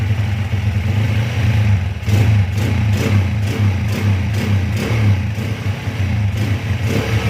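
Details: CB/GL/MP/Tiger motorcycle with kick-starter kickback, ignition timing at magnet pickup changed from 15 to 17.5 degrees: small single thumps at steady idle with throttle blips, no kickback or pinging; normal running.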